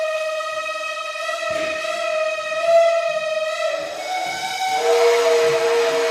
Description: The heaters in my building are dying after 60+ years. The loudest heater I've ever heard.